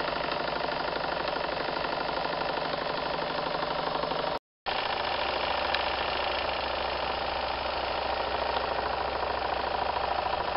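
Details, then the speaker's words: Märklin 4097 steam engine with a new longer-stroke crank, warmed up: quick, regular chuffing about two per second, smooth and even with no knock or clatter; it runs very quietly. "and now the engine has warmed up and you can hear that the machine is actually running very very quiet"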